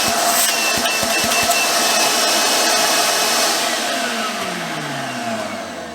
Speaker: this is it in its normal vacuum cleaner mode so if I turn it on